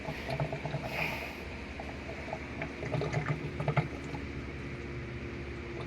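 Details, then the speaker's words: Sharp automatic washing machine on spin-dry after a drain-mechanism repair, water at level 6 of 8: strong gurgling rush of water over a low steady pump hum, now much faster than the previously slow drain; draining normally. "Ayan so Ang lakas na ng drain niya ngayon so hindi ganyan kalakas yung kanina"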